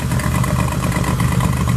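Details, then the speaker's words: Honda EK Civic with J32 swap and junkyard single turbo manifold, gaskets not yet fitted, EGR valve unplugged: steady lumpy idle with fast puffing chuff, air escaping at an exhaust flange joint. "Yeah, on idle. There's a good amount of air. No, it's definitely from one of the flanges."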